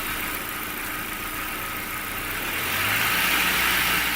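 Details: 1999 VW Passat B5 1.8 turbo (AIB), raised rpm: steady fast ticking, about four per second. Oil pressure is fine (about 1.8 at idle, about 4 at 2000 rpm); the noise is attributed to the hydraulic chain tensioner.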